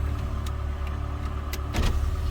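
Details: 2007 PT Cruiser idling right after a TIPM replacement, aimed at stalling after heat-up (fuel pump, filter and coil pack already replaced): steady, even hum with a few light clicks, running smoothly without stumbling.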